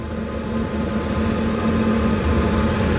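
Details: 8 kW 12 V diesel air heater installed in a Bayliner 2455 Ciera boat: light, even ticking about four times a second from the fuel pump's small piston over steady fan hum; normal fuel pump ticking.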